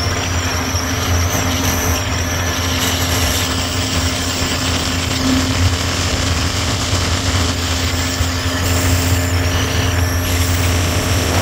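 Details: 1983 Evinrude 70hp outboard at cruising speed around 53–55 km/h, after new spark plugs and compressed-air cleaning cured lost full throttle: steady drone at constant pitch, no misfire or stumble; motor sounds healthy.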